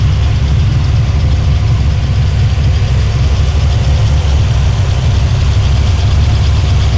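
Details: El Camino after a finished tuning session, restarted and left running: smooth, even low rumble holding steady, no misses, knocks or ticks; healthy settled idle.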